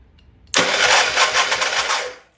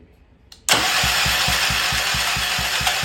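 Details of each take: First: Old Troy-Bilt Pony rototiller, long sitting, spark confirmed, fuel smells bad: starter spins fast and free about two seconds with even churn and no compression chuffs; no compression, suspected sticking exhaust valve, head to be pulled. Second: Old Troy-Bilt Pony rototiller engine cranked with a temporary battery: three seconds of even, firm thumps about six per second, each stroke pushing back the same; compression is good.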